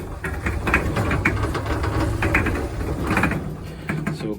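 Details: LG drum dryer, opened up, customer complaint of weird noise: steady low drum rumble with rhythmic scraping thump about twice a second as drum turns.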